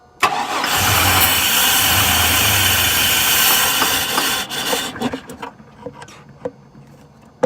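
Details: 1999 Chevy Blazer, 141,000 miles, rough condition, that won't stay running: cranks and catches, roars about four seconds, then fades to scattered clatter and dies; cause not yet found.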